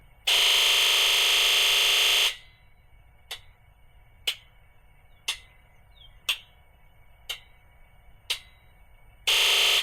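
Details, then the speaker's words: International DT466E diesel truck, cold after sitting over 24 hours, injector buzz test (only two injectors were heard before): two-second buzz of all injectors together, then six sharp single clicks a second apart; all injectors firing normally. "Vamos a darle inyector test y vamos a ver si se escuchan los seis inyectores. Acuérdese, se va a escuchar un siglo duro y después individual cada uno."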